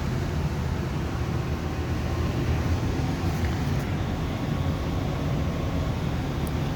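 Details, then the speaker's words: Amana 95 IIQ two-stage variable-speed gas furnace running on high stage, heard at the unit in the basement: steady even low roar with smooth airflow hiss, no rattles or surges; owner thinks burners seem stronger; running good, normal. "It's almost like the burners get stronger or something. I don't know. I could be wrong about that. But she's running. She's running good."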